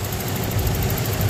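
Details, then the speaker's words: 1994 Toyota pickup V6, sat about five years not starting; after fixing faulty distributor (coil also replaced but not the cause): low, smooth, even rumble with steady beat, no stumbling or misfire; normal idle. "ahí tenemos el motorcito ya encendido motor muy bueno con 142 millas originales para este motor se escucha muy finito"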